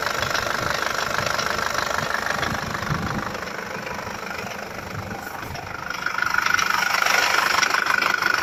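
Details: Nissan ZD30DDTi diesel at steady idle: regular sharp tapping about three times a second over the clatter; internal engine knock, owner cannot locate the source.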